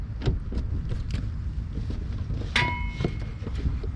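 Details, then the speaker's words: Chevy Cruze rear suspension: single sharp metallic click with brief ring as the rear is rocked by hand, camera near the rear wheel; noise comes from the rear bar, a common creak, cheap fix. "You hear that one click? So that's the sound I'm gonna fix, and it should be real cheap fix. It's not gonna be as expensive. So what's really making the sound is the bar."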